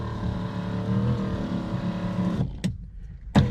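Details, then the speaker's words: Mercedes W126 560SEL rear electric seat after repair; even motor whir holding a steady tone for a couple of seconds, then stopping with a clean click, somewhat noisy but moving fine; normal seat motor operation. "Now let's move on both sides again. You may hear it's quite noisy but I would agree with you little bit noisy but I think I think when um all the kicks back on and what not I don't think you're really going to hear them get huge."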